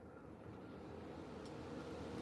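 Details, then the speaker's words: Home central AC unit started by touching the thermostat's red and white wires together to bypass the thermostat: a click, then a steady, even low hum with a soft airy rush and no knocks. "You hear it? I definitely hear it. It's on. Let's see if it'll run for a minute. That actually worked."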